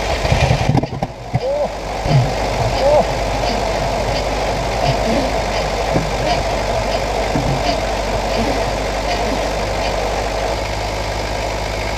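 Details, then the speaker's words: 1968 Buick Skylark Custom abandoned since the 1980s: lumpy, uneven idle with a recurring exhaust stumble; misfire because one spark plug wire was pulled out and not even in the distributor cap. "we just we had one spark plug wire that the wire was pulled out and wasn't even in the cap"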